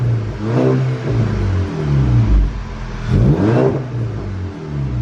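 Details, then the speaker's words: VW GTI MK6 at about 140k miles: two clean throttle blips settle back to a deep, even idle. The former raspy sound under the driver's seat and behind is gone; no leak. "but now you don't hear it anymore so you don't hear that extra rap sound you don't hear it so it's like a nice deep tone consistent"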